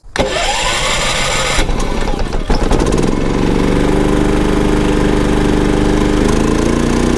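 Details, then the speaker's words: Champion 3400 dual fuel inverter generator, started with choke out after a mini tune-up with a new spark plug and an oil check: a short pull, it catches at once and settles into an even run with no stumbling. Normal start and idle. "There it is, so it cranked right up."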